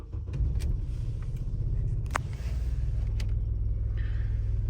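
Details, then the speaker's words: Opel Zafira A after the replacement control unit was installed and programmed: still an uneven, lumpy loping idle, though the tachometer now works. Misfire persists. "так ну як я і казав троїння воно залишилося троїння залишилося але вже працює тахометр машина Все одно троїть"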